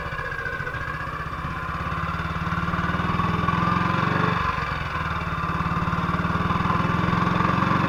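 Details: 1958 BSA C12 single on a road test after its misfire was fixed: even thumping that rises and eases with throttle, with no skips or stumbles. The battery tested fine at 6.3 V. It sounds like it used to.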